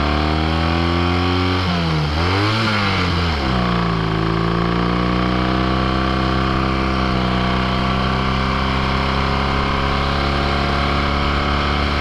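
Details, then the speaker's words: Rebuilt 1968 Triumph Bonneville cafe racer on a test ride: deep, even British twin beat blips up, settles, then pulls steadily with no knocks, rattles or excess vibration; healthy engine. "60 miles an hour, it rolls smooth, it's great. I have one hand off the handlebars, no unnecessary vibrations."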